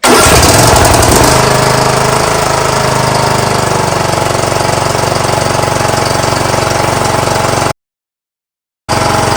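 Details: 19.5hp Briggs & Stratton engine on a John Deere LA115 mower, which had been dying at idle and smoking black, after spark plug change and carburetor service: it starts and settles into a steady, even run with a regular firing beat.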